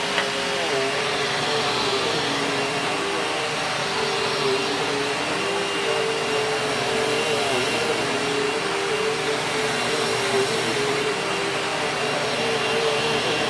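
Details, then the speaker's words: Kenmore Progressive upright vacuum: steady high motor whine with a faint light tick like a lifter; actually the worn drive belt, not replaced in a while. "it sounds like a lifter but it's the belt on it which is probably not too surprising since I haven't replaced it in a while"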